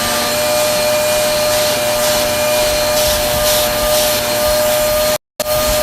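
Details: Repaired Hoover vacuum with cleaned motor, in tools mode using the hose, which sucks strongly: steady high-pitched motor whine with even airflow rush, no rattles or surging; vacuum motor running smoothly.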